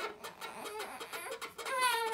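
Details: 4moms MamaRoo bassinet running, mattress and top cover removed: irregular chirping plastic squeaks from the loose plastic cover rubbing on the bushing tabs; tightening its four screws did not help, so the shield was removed.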